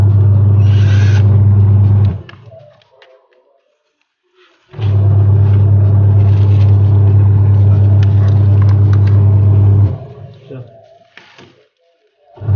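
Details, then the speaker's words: 14 kg twin-tub washing machine wash motor after gearbox replacement (previously rough and weak-turning): smooth steady low hum in two runs of about five seconds with quiet pauses, no grinding or labouring; healthy. "oke dan suaranya sudah halus Ya teman-teman sudah halus"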